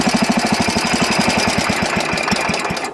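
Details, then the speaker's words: Wheel Horse riding mower won't run without choke. Fuel filter looks full. Even choked 3–4 notches, the engine fires fast and choppy, never smooths, then sags and fades as if out of fuel. Owner suspects the fuel system and plans to check the fuel pump. "See? Now it's like it doesn't have any fuel at all. So something clearly is going on with the fuel system."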